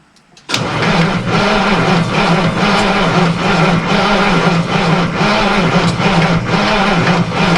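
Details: Truck sat about 9–10 months, cold spring weather with snow, possibly weak batteries and loose starter wires: starter churns steadily about two beats a second for seven seconds but never catches; crank, no start.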